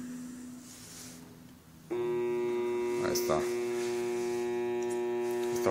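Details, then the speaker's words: Homemade growler built from a recycled microwave transformer with a heat-absorbing resistor, testing a brushed-motor armature: steady loud electrical buzz, no hacksaw blade chatter or heating, so no shorted coil. "la que se caliente es esta y conserva el la pelaje necesario para que tenga el zumbido bastante fuerte y alcance a aprobarse una armadura"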